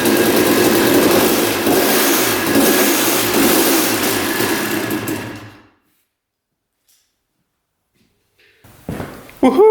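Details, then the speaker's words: 1989 Honda CR250 two-stroke that had been sitting, first start after carb cleaning: fast, uneven metallic clatter over rough running before it cuts out; lower-end rattle, engine seen moving in frame, loose engine mounts suspected, cause unknown. "she fired up I can definitely hear what he's talking about there's definitely a rattle down there we'll have to investigate that all right so it sounds pretty good except for that rattle sound up here"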